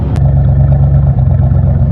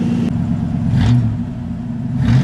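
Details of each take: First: Ford LTD with original Motorcraft carburetor, sputtered and nearly stalled on the road; fuel pump checked, carb retuned with little improvement. A few minutes after starting, loud low idle with slightly uneven, lumpy pulse and brief dip; missing a little, cause unconfirmed. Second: Ford LTD carbureted engine, started after two weeks unused, warming up, with a prior intermittent road sputter and stall (owner suspects carburetor gaskets failing when warm): steady, even run with a brief rev, no misfire or stumble; normal running.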